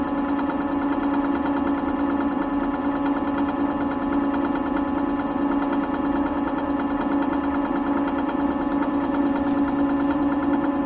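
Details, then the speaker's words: Cycleboard Rover Gen 2 electric scooter, new from the box: a steady whir from the spun-up motor wheel carries a light rhythmic scraping as the brake caliper rubs the rotor. It's definitely hitting something, and the owner plans to open the cover. "so I do hear the the brake uh calipers touching which most of the time most of the scooters I've gotten is always like this"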